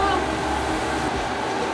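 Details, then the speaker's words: Newly installed diesel heater in a school bus: steady, even rush of blown air with a low hum, no rattles or surging; running normally despite the outlet being fitted backwards. "But it's working. Honestly, I might just leave it like this. It's really working. I'm so excited."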